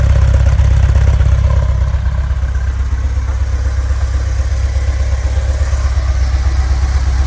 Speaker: all right here it is running running pretty smooth right now it's warmed up